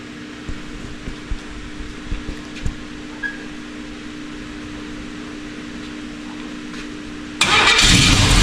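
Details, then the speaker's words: Chevy K10 with a new, not-yet-broken-in cam and brand-new header gaskets: steady idle with light, quick ticking about four per second, then a loud rev; an exhaust leak at the header. "Why do we have a exhaust leak? That is a brand new brand new mono header gaskets and another tight go tighten them up himself."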